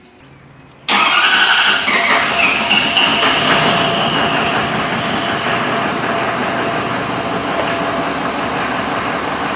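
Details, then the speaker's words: 6.7L diesel, DEF cross-fueled, running from auxiliary fuel tank during fuel system evaluation: catches after short crank and settles into steady even idle, no misses or knocks; sounds healthy, though some injector balance readings off-scale. "sounds healthy"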